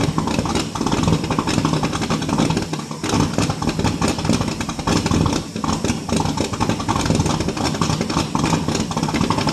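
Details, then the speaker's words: 1967 Ford LTD 2-door, 390 FE V8 with 2-barrel carburetor, cold start after 12 years on 12-year-old fuel: rough, stumbling, lumpy rumble; running rich and loading up on fuel, smoky; carburetor issues suspected. "Whew. She's loading up on fuel. I wonder if it's getting any fuel up to it from the tank."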